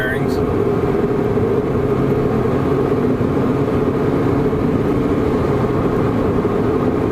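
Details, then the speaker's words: 2007 Toyota Prius at 75 mph after wheel bearing replacement: steady, even road and tire rush with no growl or rhythmic hum, much quieter than the noisy bearing noise before the repair. "75 mph much quieter."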